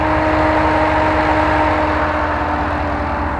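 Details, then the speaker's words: Jeep JK with LS/LT L96 6.2 swap, Camaro SS fan, ECM AC idle compensation: steady idle with faint hum, no dip as AC compressor engages and disengages, fan following AC pressure; normal. "you will notice how rock-solid is idle is you can't even tell when the compressor engages and disengages you can also hear the fan following along with AC pressure"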